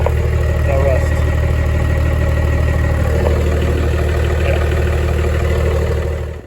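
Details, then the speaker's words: 1996 Dodge Ram 2500 12-valve Cummins diesel, sitting seven years, just started after fuel system bled; steady even low rumble, no knocks or misses, healthy idle. Truck also has broken transfer case, needs front driveshaft. "today was very successful we got the truck started as you saw"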